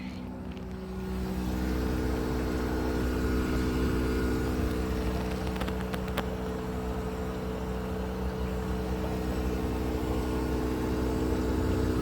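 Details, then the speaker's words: Mitsui air conditioner showing PC04 error, set to 23 degrees, recorded at the outdoor unit: loud, steady droning hum with several fixed tones, less than before but still abnormal; the first-floor indoor unit blows no air. "now I am going to outdoor unit so yeah this is some some running um learning sound is there but not like before but still there is some noise you can hear it"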